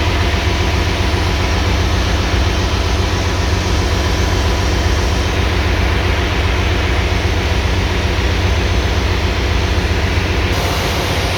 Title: generator misfire